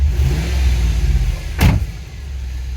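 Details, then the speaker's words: Holden Adventra V8 LS1 all-wheel-drive wagon, bought recently: deep V8 rumble rising and falling through a rev with an uneven, lumpy, chunky beat. Rough running; owner suspects an exhaust leak and possibly a miss. "I think it's got an exhaust leak as well. You hear that? It almost sounds like it's got a miss. Maybe. It's quite chunky."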